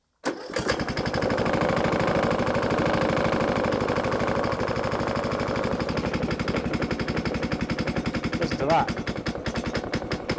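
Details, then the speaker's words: Briggs & Stratton small mower engine on a Master Cat, started after work, catches at once and settles into a steady, even putter with no misses or knocks; sounds alright. "I have no idea what a Briggs & Stratton's supposed to sound like, but that sounds alright to me."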